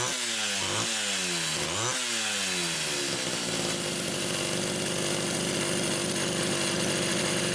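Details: Rebuilt Homelite Super XL carburetor no. 3, fitted with a new pump diaphragm, test-run with the throttle worked by hand after the linkage slipped: revs sweep cleanly up and down, then hold a steady, even high-speed scream; runs normally.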